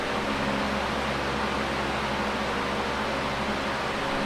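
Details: Late-1970s Canadian Super 16-inch oscillating fan, before restoration and servicing, on high full speed: strong steady rush of air with even motor hum, no rubbing or ticking; moves a lot of air, normal running.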